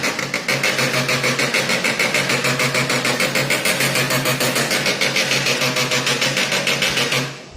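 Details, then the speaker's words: HP LaserJet Pro M1136 printer making loud noise while running: rapid, even clatter of about three to four clacks a second with a harsh rasp, stopping when the printer halts; worn belt/drive gear in right-side gearbox, fix is gear replacement. "तो printer की noise सुन के तो दोस्तों आपको भी अंदाज़ा लग गया होगा कि ये साउंड किस चीज़ की आ रही है। ये साउंड है जो प्रिंटर के बेल्ट गियर से आ रही है दोस्तों।"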